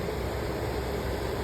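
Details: Attic AC air handler after replacing the failed blower motor and deep-cleaning the blower wheel: powered on, a smooth even rush of air with low steady hum, no rubbing, ticking or wobble; normal healthy blower operation.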